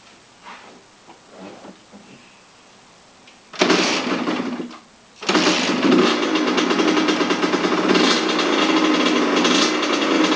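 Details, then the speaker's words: Kawasaki KX100 two-stroke after full top-end rebuild with new cylinder: crisp even buzz that catches quickly and revs cleanly in light blips; normal two-stroke running. "um I took it for the first cycle which is 10 minutes twice under half throttle and I just did the third cycle which is basically barely hit the Power Band"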